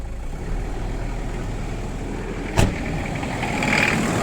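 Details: Toyota 1KZ diesel idling with a steady rattling knock riding over the engine note, consistent with knocking injectors.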